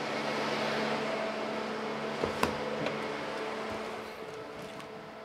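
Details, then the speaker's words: Tahoe after clutch fan deleted and electric fan conversion, fans commanded on through scan tool at low then high speed; steady whooshing hum, constant tone, no rattles or rubbing, confirming PCM wired correctly: normal cooling fan operation. "this is gonna be low speed i hear the fans high speed so there we go i wired up the pcm correctly"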